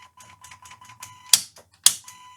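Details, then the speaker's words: Vintage Siera 5521 / Philips 22RH521 amplifier after the blown left channel and power supply were repaired: steady test tone broken by irregular ticks and two sharp pops in the left channel; likely the scratchy controls, possibly oscillation or a remaining left-channel fault. "But it is in the left channel that we have this noise. Could be that there is still something wrong in the left channel. Or it's one of the controls."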